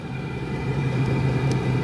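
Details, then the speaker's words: Cheap Chinese diesel heater on its first test run, turned down via the remote: steady low hum with faint constant whine, running smoothly at a low setting. "so this is the remote and i can turn this thing down so there i just turned it down"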